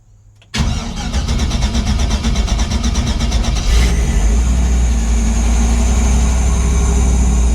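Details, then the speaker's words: Chevrolet C10 with LS swap and Aces Jackpot 2 fuel injection, first start after sitting a couple weeks: three seconds of cranking, then V8 catches into a slightly uneven, lumpy idle; rough running, same earlier issue, cause unclear. "Okay. So, we're kind of sounds like we're going to have the same issue we were having before, but that wasn't bad for, you know, it's been sitting a couple weeks."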